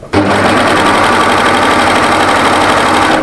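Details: Overlocker stitching featherweight cotton voile at an angle, blade not used; fast, even stitching chatter at a steady pace with no knocks or catches; running smoothly and normally.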